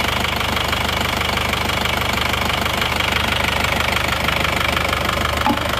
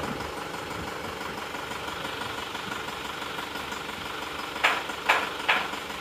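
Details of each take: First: Isuzu Panther Touring New diesel idling after engine overhaul (piston rings, head gasket, valve seals, crank seals, clutch replaced): even, steady clatter, the earlier limping tak-tak knock, shaking and dipstick smoke are gone; normal diesel idle. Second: Isuzu Panther Touring diesel, before repair: loud, rough, uneven idle with irregular tak-tok tapping around two per second, sharp ticks and shaking, a weak cylinder from poor injector nozzles. Diesel misfire.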